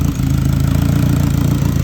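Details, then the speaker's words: Turbo K24-swapped Subaru BRZ at first startup, misfire code cleared, blow-off valve unclamped, catch can open: low, even pulsing at steady idle with no misses, knocks or hunting; normal idle. "but she runs so yes the car does run I am super super pumped"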